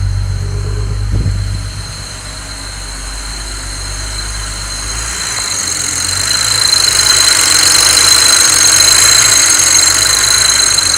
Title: 335i strange noise ?